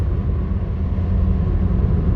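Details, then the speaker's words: 2005 Hyundai Accent driving, recorded inside cabin after backyard exhaust repair; soft even low rumble, previous exhaust roar gone, quiet enough for normal talking voice; exhaust sealed. "can hear everything's nice and normal D cells quiet Excel are quiet oh it's so good not to hear that Roar for me crazy"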